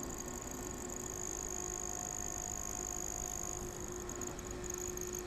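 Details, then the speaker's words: Original sleeve-bearing cooling fan from Magnavox ZV427MG9 DVD/VCR on the bench, microphone half an inch from the rotor on the intake side, drawing 79 mA: quiet even whir with soft hum; normal running. "and it does make a little noise when it's on the bench so I'll lift it up I'm about a half an inch away from the rotor right now so that is the ambient noise of that fan"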